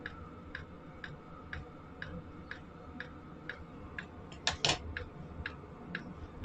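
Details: Sunster 5 kW all-in-one diesel air heater running, outlet air around 50°C: sharp light ticks about twice a second over steady fan rush, the dosing pump clicking normally while heating.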